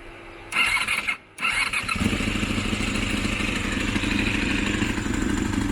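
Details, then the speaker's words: Honda VFR400 (rebuilt with RS400-style fairing) idling: fast busy idle with a steady clacking "kak-kak" at low rpm that disappears at high rpm; owner suspects valvetrain in the top end, possibly melted charge, not confirmed. "นี่เป็นไงเสียงกั๊กๆๆๆๆๆๆๆๆเลยแต่เวลารอบสูงครับรอบสูงมันจะไม่มีเสียงนะลองฟังดูแต่พอกลับรอบต่ำรอบต่ำมันจะมีเสียงนะครับ"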